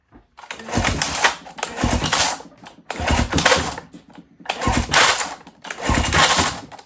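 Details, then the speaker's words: 1977 Johnson 9.9 outboard, sat unused for years, hand-pulled during spark test: five rattly, whirring rope pulls about a second each, cranking slowing toward each end; owner thinks recoil pull-start needs cleaning or service. "I'm struggling with the pull start. So, it's it works for the most part, but you can see kind of towards the end, it really goes slow."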